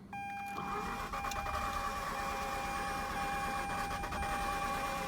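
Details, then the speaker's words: Mazda RX-8 rotary with days of starting problems, after overheating and coolant loss (owner suspects blown head gasket or worse): starter cranks steadily with a thin high squeal riding over it; codes crank position sensor, cylinder one misfire, low idle rpm. "now it doesn't sound right it's got that extra squeal in it"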